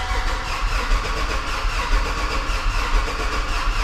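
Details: 2016 Chevrolet Silverado rebuild, first start attempt without serpentine belt or coolant: engine cranks steadily with churning drone but never catches; owner suspects no fuel after fuel lines were apart.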